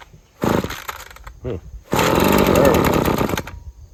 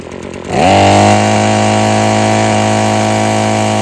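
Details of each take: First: Husqvarna string trimmer with sticking trigger and frequent cut-outs: rough two-stroke bursts that won't climb at part throttle, falling back to lumpy idle, only runs at full throttle; carburetor suspected, possibly water in fuel. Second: Husqvarna string trimmer after freeing a sticking trigger and adjusting the carburettor: starts and climbs to a clean, steady high-rpm scream with the line whistling, holding full revs without sagging; normal high rpm.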